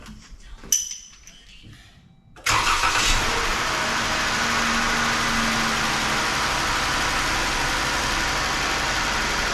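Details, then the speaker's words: 2017 Chrysler Pacifica 3.6L Pentastar V6 after oil filter/cooler housing replacement, first start after cycling ignition on several times to prime fuel: quiet clicks, clean catch, steady even idle with no misses or knocks; normal start and idle. "She runs like a champ. Just had to cycle the ignition to the on position a few times without starting it to prime the fuel system and get gas up to the injectors."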